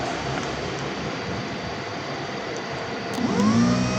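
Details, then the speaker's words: Indonesian motorcycle starter motor bench-tested directly on the battery, run only briefly because the small wire heats up: background hum, then a quick whine rising in pitch as it spins up freely. The starter motor operates normally. "Nah, ini berarti normal. Tapi kalau tidak terjadi perputaran, ini tidak normal, maka yang kalian lakukan adalah mengecek motor starternya."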